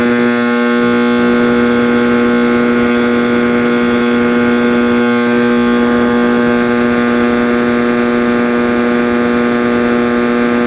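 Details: 1960s General Electric black-and-white TV, back off, warming up after rewiring: a loud, steady, droning hum with a strong, constant tonal howl; owner suspects an internal capacitor rather than the tube, unconfirmed.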